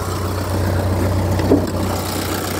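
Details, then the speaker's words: 1997 Ford Escort 55 D diesel van: steady low diesel rumble at idle, even and unchanging with no knocks or misfires; a healthy, smooth idle, not powerful but unburstable. "brilliant engine not exactly bursting with power but unburstable really"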